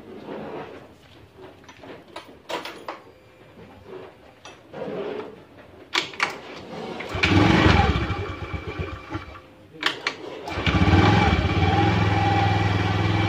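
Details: Honda Vario 125 scooter after its stuck kick starter was repaired: after some clicks, a couple of kicks start the engine and it settles into a steady, even idle; normal kick start and idle.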